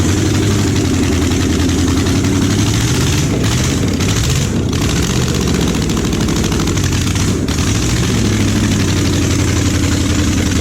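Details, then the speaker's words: Junkyard Oldsmobile 350 V8 (long-sat, for a 1969 Cutlass) first start on an engine stand: loud, lumpy uneven beat with stumbles; misfire from plug wires in wrong firing order, third cylinder back on both sides, Olds firing order runs opposite to Chevy. "hey you started it ran but it's like the third one back on both sides get the flies backwards dude well I think so it's real weird cuz it goes backwards I always gonna be able chevy firing order goes clockwise Oldsmobiles backwards"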